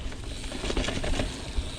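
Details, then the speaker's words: Ozark Trail FS2 Slalom full-suspension mountain bike on first trail ride: light, irregular ticking and rattling over bumps, no steady rhythm; loose cables slapping against the frame. "But yeah, you can hear those cables rattling, and it's kind of annoying."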